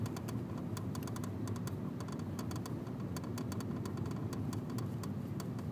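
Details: New Honda Civic idling low and steady with irregular sharp ticking on top. The owner reports a clutch noise, but the exact cause isn't clear.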